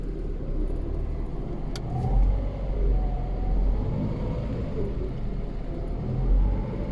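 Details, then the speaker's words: Lada Priora gearbox after repair of broken main-pair teeth, car on lift, cold, new oil, in fourth gear: even low rumble with no whine, knock or clatter; knocking gone, gearbox healthy. "нет того звука нет то что вот зубья были поломаны вот этого весь звуки шел все теперь все отличное"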